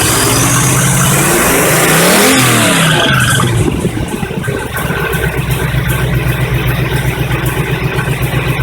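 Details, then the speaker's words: 1985 Chevy truck carbureted V8 after a fuel pump replacement: a short crank with no throttle, catches straight away with a rising rev, then settles to a steady, even idle; starter may need a shim. "all right on it starts beautifully don't even have to touch the gas quick little crank on the key and she fires right up typical Chevy"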